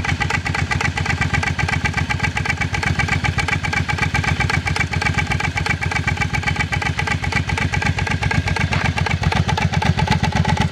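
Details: Rapid fairly even knocking about four a second over a steady idle; clunking noise, source unclear.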